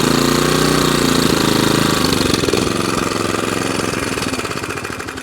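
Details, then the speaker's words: Qualcast 35S cylinder mower with Kawasaki engine after the roller drive and cylinder fix: engine note wavers and sags with a slight hunt, not revving as high as it should and not idling; a service is planned, cause not confirmed. "because it's got a little tiny hunk to it it's not revving as high as it's as high as it should"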